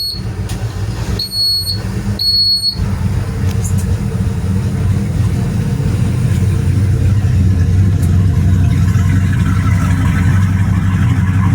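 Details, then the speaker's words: Rampage boat, after the starboard no-start was fixed with a new battery and wiring repairs: a few beeps, then it catches and settles into a steady low rumble with no knocks or misses. "that sounds good that sounds good so I'm going to say we found the problem and solved it"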